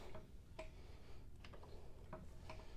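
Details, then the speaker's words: Brown & Sharpe milling machine gearbox turned by hand after water ingress had gummed up the detents; after spraying, light uneven clicks as detents catch and release cleanly, no grinding; normal detent clicking, gear now turning faster. "so the mechanism that was in here it catches on these little openings there's all gummed up so I sprayed all that and now it is working"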